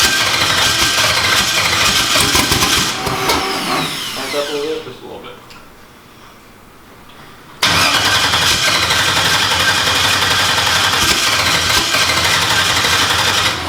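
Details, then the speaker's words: New engine, first start attempt: steady cranking about three turns a second with brief catches that never run; cranks but won't start, faulty MAP sensor wiring. "i mean it wants to start it's trying it sounds better"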